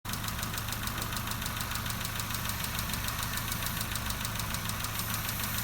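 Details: Nissan Note/Tiida 1.4 CR14DE at idle: steady, fast, light ticking a bit over two a second over an even idle; exhaust valve clearances too large, fixed by changing tappets to about 0.34–0.38 mm.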